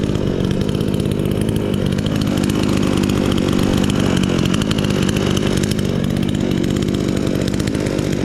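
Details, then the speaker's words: Chinese chainsaw sold as a fake Stihl, first start after assembly: loud buzzing two-stroke roar held steady at high revs with no misfire or surging; it started first pull and runs normally. "I słyszysz jak to buczy i od pierwszego razu w ogóle ruszyło cieszę się z pilarki wszystko ok"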